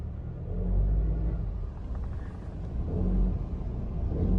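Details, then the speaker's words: Honda Civic RS Turbo, about 100,000 on the odometer (unverified), in D with AC on. A low groaning rumble swells each time the throttle opens and eases between pushes. Failing belt auto-tensioner under load. "जैसे ही हमने AC on किया तो एक्सीलेटर देंगे तो ये अब आवाज़ आप सुन सकते हैं।"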